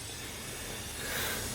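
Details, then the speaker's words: Dodge Caliber SRT-4, engine off, boost leak test with home-made tester and portable air tank: steady airy hiss swelling as pressure builds, heard around intake manifold; boost leak, intake manifold gasket suspected. "the more I can hear it coming from like intake manifold area."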